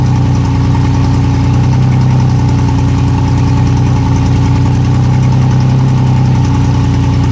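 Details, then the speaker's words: Yamaha outboard on a boat that sat unused for years, started after gas was poured into the fuel-water separator because hand-pumping wouldn't feed fuel: steady, even low burble at idle with no knocks or misses; quiet motor, normal idle. "that's a quiet motor"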